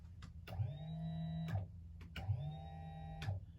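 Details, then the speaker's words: Two one-second bursts of a small motor whining up freely without load, rear curbside bedroom slide of a 40-ft Holiday Rambler Endeavor diesel pusher, motor under the bed; power present but slide isn't moving. "and nothing's engaging so the good thing is I hear the motor trying to work um so I know I have power to it"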